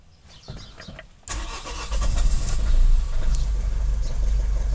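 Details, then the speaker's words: Vauxhall Vivaro diesel van (same as Renault Trafic/Nissan Primastar) that cranked but wouldn't start after clutch replacement, oil pressure fault, no engine ECU communication; after restoring ECU power supply with 30 A fused feed, it catches first crank and settles to steady idle. "Straight up starting, great result."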